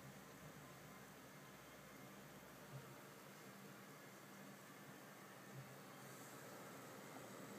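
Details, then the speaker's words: Asus DirectCU II Top GTX 670 graphics card running Heaven benchmark at 1080p, case fans turned down: only faint steady airflow hiss and a tiny bit of coil whine; quiet, normal cooling under load. "you can see, it is completely silent. There is an absolutely tiny bit of coil whine, but nothing compared to my GTX 580."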